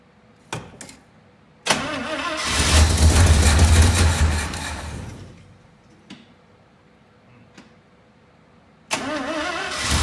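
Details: 1967 International Harvester Loadstar 1600 truck after new fuel pump and carburetor work, idle and fast-idle screws being adjusted: cranks and catches, runs rough about three seconds then dies, next start sags the same; stalls after starting, cause unconfirmed.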